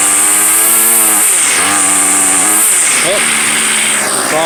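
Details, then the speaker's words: Two-year-old gas two-stroke weed eater, started on fifth pull with fuel left in it: buzz catches and keeps running, pitch rising and falling with throttle blips; runs healthy. "yeah that sounds about right very nice five pulls thank you"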